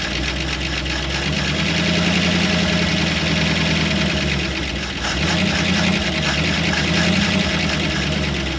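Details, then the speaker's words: Early-1960s Ford F100 shortbed unibody V8, first run after sitting 25+ years in woods: steady, even idle with low rumble and light top-end tick from slightly noisy lifters, some exhaust leak; oil pressure over 60 PSI, motor sounds good. "I think it'll clean up sound all right motor sounds good lifters are a little on the noisy side great oil pressure though over 60 PSI"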